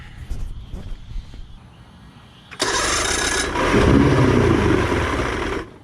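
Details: Outboard with new fuel pump, carbs cleaned, 50:1 mix, warmed about 30 seconds: catches after cranking, runs rough and uneven on throttle, then sags and dies when returned to idle; cause unknown.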